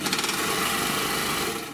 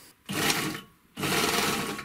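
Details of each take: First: Three-thread GM C1D overlocker sewing thick denim. As the upper knife bites, a fast, even knocking at stitch rate is heard. The upper knife mount has play and is worn from age and constant lack of lubrication, and cannot be repaired. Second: Three-thread GM C1D overlocker after cleaning, lubrication and servicing, sewing test fabrics including thin knit. Short bursts of fast, even stitching with smooth starts and stops and no knocking mean it is stitching normally.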